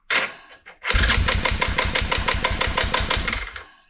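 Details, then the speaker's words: Yamaha Grizzly 660 ATV after decompression pin/rod/spring modification, new lithium battery and 4-gauge wires: a couple of stiff hesitant first turns, then even starter chug about three per second; hard spot only at the very first crank. "So you could hear the uh the at the very first crank it was kind of like hard to crank over, but then it doesn't matter after that."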